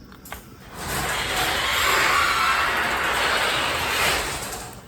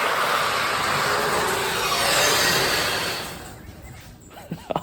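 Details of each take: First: Genie garage door opener after fixing loose chain and resetting limits: smooth, even motor hum and chain travel about four seconds, no grinding or clunking; normal opener run. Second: Genie chain-drive garage door opener after its loose chain, knocked off the sprocket, was refitted: loud, rough rattling roar the whole time the door travels, stopping as it stops; the dry chain needs oiling.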